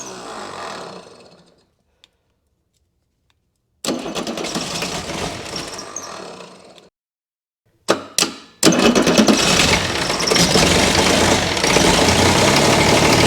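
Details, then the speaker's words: Chrysler diesel (rebranded Mitsubishi 6DS70 six-cylinder marine engine), barn-stored for years, first start: stop-start cranking then ragged, stumbling clatter and heavy smoke; air in injectors, needs re-bleeding; rough running from unbled injectors. "yeah they were to crack all the injectors loose again try to re-bleed all the injectors a little bit better"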